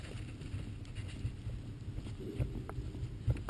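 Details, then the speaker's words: 2.6 V6 Holden/Opel Vectra, steering shaft pushed in and out by hand: a few dull, irregular knocks over low rumble as the sliding tube binds, causing a steering clunk; the fix is silicone spray lubricant down the shaft. "This little tube, as I do that, you'll see it's just pulling in and out a little bit, and you can hear that noise."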